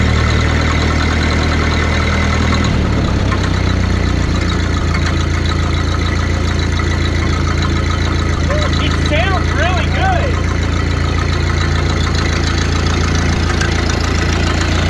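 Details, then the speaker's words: 1931 Ford Model A peach flat four-cylinder, sat 30+ years, after first start: low steady chug holding an even beat without misses, smells of coolant, carburetor not entirely happy; idling smoothly. "It smells like coolant. Wow, this thing sounds good."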